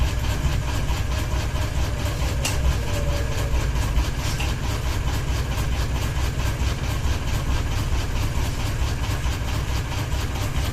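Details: Ceiling fan running with one blade and a ball hanging off it, steady low drone with a regular pulse about twice a second as the unbalanced fan wobbles on its mount; fan wobble.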